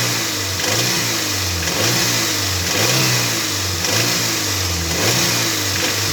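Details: Toyota MR2 Mk3 Roadster, laid up for a long time, now on fresh fuel and a new battery. A light metallic rattle surges with each rev blip; the rattle occurs 2200–2500rpm. Source not yet found; part 1 of the diagnosis.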